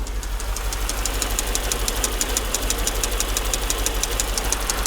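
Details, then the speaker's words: Mercedes S55 AMG after its first short drive, microphone held close at the top of the engine: sharp, even ticking about three times a second over a steady idle; engine knock, cause still unknown. "apparently they used the same wiring harness for the 12 cylinder as the eight cylinder but i do not like the way that is sounding"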